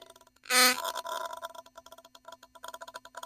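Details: Philips Sonicare electric toothbrush sent in for repair, microphone held close: irregular dry crackling and ticking bursts like a Geiger counter over a faint buzz; wires badly soldered, a screw had fallen off, coil suspected.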